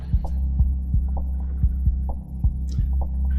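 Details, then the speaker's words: Combat robot on the workbench being converted to PS3 controller drive, freshly uploaded code and connected: steady low electrical hum with irregular soft ticks, roughly two or three a second, from the servos twitching at rest. "I think that you can hear the servos twitching, and let me actually get the other microphone in there so that you can hear all that fun action or whatever, I guess."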